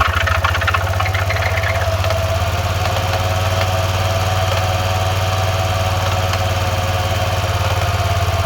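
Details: 2000 Arctic Cat 500 4x4 ATV, Suzuki 500cc single with a used replacement crank, after the rebuild; loud, fast single-cylinder thumping with a rattly clatter and very smoky exhaust; owner suspects a seized clutch or a missed clutch washer, unconfirmed.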